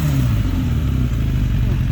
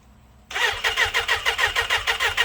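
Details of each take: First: Lowered 2006 Suzuki Katana motorcycle revved after startup, deep smooth engine note holding steady without misses or clatter, pulls cleanly; healthy revving, described as more torquey than a comparison bike. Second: Lowered 2006 Suzuki Katana, throttle worked by hand: engine runs on its own but pulses unevenly, surging about three times a second instead of settling; carburetor rebuild criticised as poorly done, cause not confirmed; rough running.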